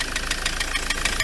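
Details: Ford Transit MK7 2.4 RWD diesel van at idle: sharp metallic knock about seven per second from the front; pulleys found fine, not loose; owner suspects the dual mass flywheel, source unconfirmed.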